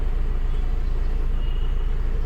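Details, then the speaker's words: Honda Civic petrol engine after a faulty ignition coil was replaced (misfire, code P0352): a smooth, even low idle hum with the AC on and no shake or stumble. Normal idle with AC on. "मैंने in start किया और आप लोग देख सकते हो जो हमारा इंजन मिसिंग का प्रॉब्लम था वो सॉल्व हो गया है जो हमारा धड़ धड़ धड़ धड़ करने का था और वाइब्रेशन यहां पर देख सकते हो"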